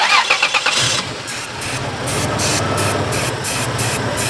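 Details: 2002 Toyota Tacoma, 3.4L V6: cranks, catches and settles into an uneven run with revs surging as fluid is sprayed, pointing to a vacuum leak near the throttle body.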